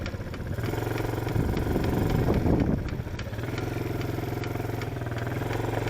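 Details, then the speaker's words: Chinese ATV, small single-cylinder engine: light quick clicking, three or four a second, only when driving forward, not in reverse; owner suspects transmission, cause undetermined. "Just click, click, click, click. Only happen when I'm going forward."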